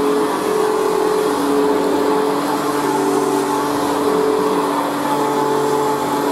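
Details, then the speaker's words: Machine boxed for about 40 years and not run in years, on its third position: a steady motor whine with a hissy scratch underneath from brand-new carbon brushes bedding in, heard on rundown; otherwise runs very well. "so there we have it so it runs very well actually and considering it hasn't been run in years their carbon brushes in the melter meter sitting because of course it's brand new so that's the scratching noise you can hear azan on rundown"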